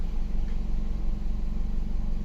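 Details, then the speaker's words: 2019 Nissan Pathfinder 3.5L with code P0101 (MAF range/performance), warm, in gear: low uneven idle with slow surging lope; MAF reads about 3.5 g/s, suspected too low, cause unconfirmed; worse when cold, stalls. "Oh, now it's loping. Look at her. It's not as bad. See, I think our grams per second is too low."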